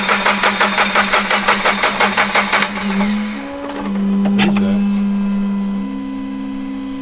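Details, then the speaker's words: Toyota GR86 after JDL turbo kit install, first startup attempt; quick even cranking pulses then a ringing whine as it dies, never fires; battery problems, needed charging and a jump start from another car. "We gotta go charge this and wait. Fuck. So Andrew had battery problems, so we went ahead and jumped his car with my car."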